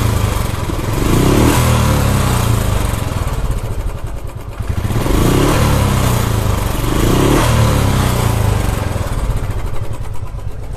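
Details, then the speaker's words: Royal Enfield Classic 350 revving up and down with ragged uneven beat and harsh cracked-sounding clatter; top-end noise, hydraulic part suspected as cause, not confirmed. "चलो बंद करते हैं तो sound आप लोगों ने देखा फटा हुआ आ रहा है"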